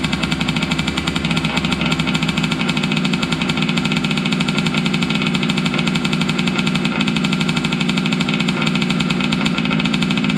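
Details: Losi 5T 2.0 gas two-stroke RC truck on VP fuel after about four to six months stored, primed and choked, started on the workbench up on tires: a fast, even rattle held at steady speed with no sputter or dropouts; normal running.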